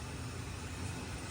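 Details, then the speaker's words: 1995 Lincoln Continental bought from an estate, unmodified 4.6-litre overhead-cam V8 idling: smooth, even low rumble with no ticks or misses; engine runs really well. "but um it's St would show you that that little engine really really runs good that's a overhead"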